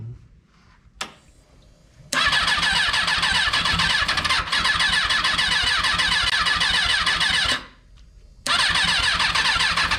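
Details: Freshly rebuilt Kawasaki 636 engine just installed, first start attempts: fast thin starter whir about five seconds, stops, cranks again, never catches; cranks but won't start.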